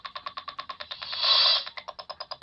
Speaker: as long you can hear the ticking sound it means that it transmits signal going to your unit